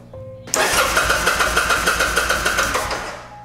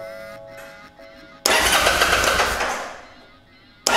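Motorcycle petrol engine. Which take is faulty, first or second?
second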